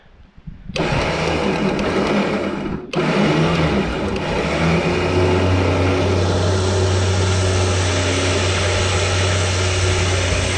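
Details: Repaired winch on a gooseneck trailer pulling a tractor aboard: steady, strained motor hum with gear whine at even pitch under load, no grinding or stalling. Winch working properly.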